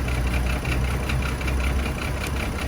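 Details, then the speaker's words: Chevy Trailblazer idling rough and uneven, with a lumpy low rumble and an irregular pulse from misfires in cylinders 3 and 5; cause unclear: spark plugs, coil pack or a bad ignition coil. "You got a Misfire in 3 and 5. So I don't know if they is due to the spark plugs Or the pack. or it's still a bad ignition coil."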